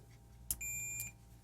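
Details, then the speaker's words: Removed switching FET from a Yamabishi SF-PW switch-mode power supply (FREQROL-SF CNC drive) on continuity test: single steady high beep about half a second; gate lead shorted, FET is a jumper, oscillator board likely damaged too. "put it on a continuity. I have a feeling that this is a jumper. And yes, it is. Oh man, that's real bad. Yeah. So, the gate lead is definitely shorted."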